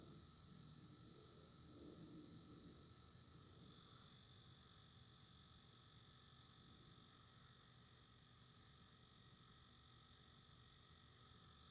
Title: New Nintendo Switch fan making noise, can't be normal